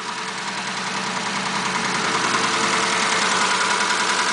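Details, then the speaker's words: 1941 Ford pickup with a new engine, warmed up at idle: a steady light tick about three to four per second over an even idle, like one of the lifters; noisy lifter suspected, not confirmed. "it's like one of the lifters Nate's just in Bobby right when it's warmed up these are pretty bulletproof days engines"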